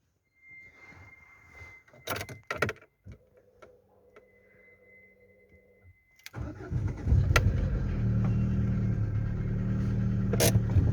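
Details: Lada Largus with a 1.6 16-valve 129 engine (Priora/Vesta type), after hydraulic lifters were replaced: key rattle, then a cold start into idle with a steady light rapid knock over a hum that is loud from a torn exhaust flex pipe; cold-start knock.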